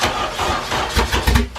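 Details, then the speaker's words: Wagon that sat 10+ years, first start, fuel pump not priming despite bypassed relay: catches in ragged bursts for about two seconds on sprayed brake cleaner, then dies; no fuel delivery. "it did crank over a second ago for like 2 seconds and then obviously break cleaner dried up"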